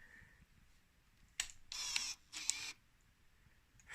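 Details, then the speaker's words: 2000 Yamaha DT125R after rebuild, power valve just fitted with cables, key turned on: a few short high whirring bursts with clicks as the servo sweeps the valve, quiet room; normal power valve servo cycling. "it makes a clicking noise from somewhere"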